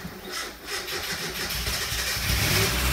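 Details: Mazda Miata being brought back to life: quick cranking catches and builds into a steady, rising engine note settling toward idle, a clean start.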